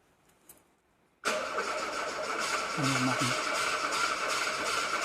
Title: VW Golf 2 won't start